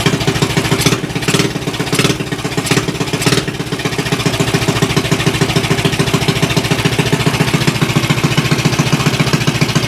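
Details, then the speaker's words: Axis M200 196cc single-cylinder mini bike, bought non-running, now started: loud, crackly idle with fast even putts and a few early blips, settling steady; no fuel leaks seen, kill wire not working, exhaust very loud. "All right. Engine sounds good on here. That exhaust is ridiculously loud though."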